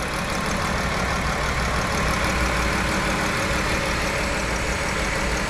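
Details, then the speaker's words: 2011 Chrysler Town & Country, 3.6 L Pentastar, died on highway after overheating from a blown heater core hose: uneven stumbling idle that worsens while refilling coolant, with steam and shaking; warped head and coolant intrusion into cylinders. Misfire. "we got a misfire uh-oh okay f it on up oh yeah it's misfiring look at that we got some steam coming out of somewhere"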